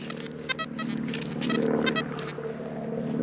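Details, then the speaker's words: XP Deus metal detector with HF coil on Fast program 3, over a Roman-site ridge: short, high squeaky false chirps come and go unevenly over a low hum with no target, which suggests a frequency-related cause. "Can you hear these little false signals? These aren't actually targets, these are false signals."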